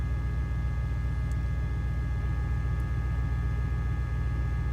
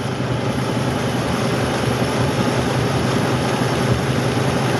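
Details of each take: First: 2004 Dodge Ram 5.7 L Hemi after replacing faulty bank 1 O2 sensors that caused a misfire and fuel trim faults: deep, steady V8 burble with an even beat and no stumble or miss, idling cleanly. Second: 2004 Dodge Ram 5.7L Hemi at idle, at night in winter: low, rough, uneven stumbling pulse, about two or three a second, rather than a smooth beat. A bank 1 misfire with a check-engine light, being diagnosed through the O2 sensors and their circuits.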